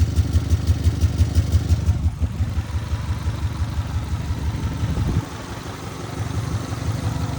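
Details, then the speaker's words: Engine low on oil: idling with a heavy, regular, coarse slapping beat about three per second; weird internal slap of unknown origin. "This motor is a little low on oil, so I got to be quick from what it seems. But we might be buying this for 600 bucks. Got a weird slap going"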